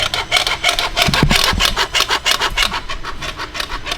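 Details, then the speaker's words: Budget 1.8T engine swap into an E36 on a start attempt, cranking steadily at about three beats a second without firing; cam sensor reads correctly but the crank sensor gives no signal, later found unplugged, so it cranks but won't start. "But we need the crank sensor to work. The crank sensor is not."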